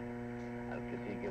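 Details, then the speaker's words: Grundig 750 receiver tuned to about 5970, compared with a modern SDR: steady fixed-pitch AC mains hum under faint station audio because the antenna was not connected; connecting the antenna removed the hum. "I got a home word a devil is a hum coming from got a definite AC hum there oh wait a minute I don't have the antenna connected to the Grundig"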